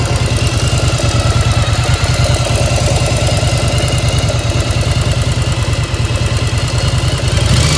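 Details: 1995 Yamaha XV1100 V-twin, warm with choke off, at idle: loose metallic clank riding on each firing pulse, steady and rhythmic; source unknown, owner asks if normal.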